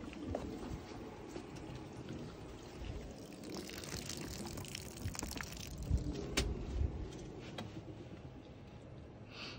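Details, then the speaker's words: Pressurizing new shop/apartment water lines for leak test; hissing, splashing trickle surging and fading as pressure comes on; leak not at their fittings, owner suspects a rubber piece not seated right, unconfirmed. "oh shoot I don't know why that's leing like that um well that that shouldn't be leaking like that at least it wasn't our fittings"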